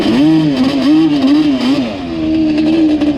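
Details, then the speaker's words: Yamaha Banshee two-stroke ATV with low-end bog, slightly warm, riding at low rpm: note wavers and stumbles unevenly, smoothing slightly as revs climb, also at idle once warm; misfire under load. "can hear there's like some type of miss or something going on with this thing. And there it kind of does it now from an idle once it gets warmed up."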